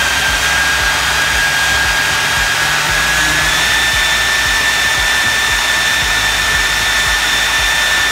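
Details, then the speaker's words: 3D-printed EDF fan unit on test run, with the ESC hard start causing a bang at motor start: a steady high whistle over the rushing fan steps up slightly in pitch; the owner blames the rotor and plans more balancing. "As you can hear and see from the testing, it seemed to run pretty fine. I'm going to do a little more balancing of the rotor itself because I don't like that whistling noise."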